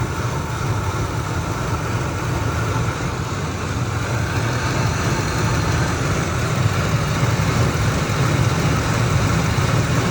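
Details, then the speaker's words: 2003 Ford Expedition V8 at 295,000 miles, started cold and idling about 4 minutes as temperature rises: deep, uneven lope and visible engine shaking, rough idle suggesting misfire; the chirp that appears at operating temperature is not yet heard. "I don't know if you can hear it through the video, but I know you can see the engine shaking now. Maybe you can't. But it's starting to loop."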